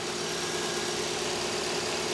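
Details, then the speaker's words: Mazda 121 Demio on a long trip, before an oil change to thicker oil: light quick ticking over a quiet steady idle; top-end ticking, cause not yet identified. "hear it ticking away. It's definitely ticking away."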